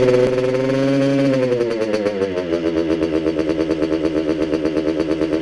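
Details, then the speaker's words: Freshly restored and rebuilt 1985 Kawasaki KX125 two-stroke with cylinder oiled at build: drops from a rev to a fast, buzzy idle that stays up; idle speed needs to come down, otherwise sounds good. "oh hey the idol needs to come down a bit but this sounds really good overall"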